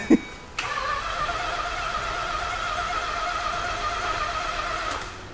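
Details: Mazda Cosmo rotary, a rare JDM car, sat 10 years, fresh plugs: steady starter whir at even pitch for about four seconds, no catch. Cranks but won't fire; cause suspected, not confirmed.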